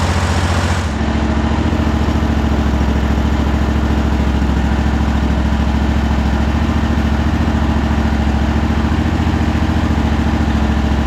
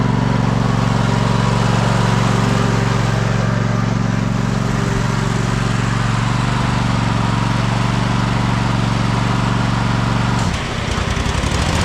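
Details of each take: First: Cub Cadet Super LT 1550 started after finding the fuel-delivery issue, vacuum pulse line about to be reconnected: catches within a second and settles into a steady, even low idle with no misses or stumbles. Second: Cub Cadet Super LT 1550 twin after fuel-system cleaning and carb work, running on two cylinders: steady low drone that dips and stumbles, labored when driving with blades engaged though fine under load standing; suspected fuel starvation.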